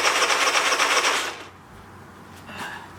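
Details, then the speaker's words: Long-unused engine started on full choke: fast, uneven chuffing about four pulses a second that dies away; it only runs on full choke and the exhaust smells of bad gas, so the stale fuel is to be drained and replaced. "all right so it's running but it's only running on full choke but i smell the exhaust and it's smells so terrible like horrible gas so we're going to drain the rest of that nasty gas out and fill it up with some fresh stuff"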